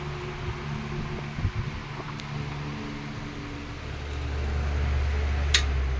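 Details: 16-inch R&M Banner 2-speed oscillating fan running: steady smooth low hum, even motor drone, no knocks or rattles; running normally.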